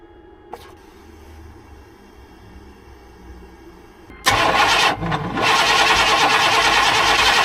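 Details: Vortec 5.7 Suburban crank no start, battery on charger, fuel pump relay being tested: starter spins evenly about three turns a second, never fires; injectors tested fine, ground wire ruled out.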